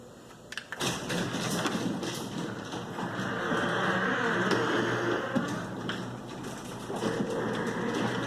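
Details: Garage door lowering with rumbling, rattling and steady grinding clatter, barely changed after lubricating the hinges.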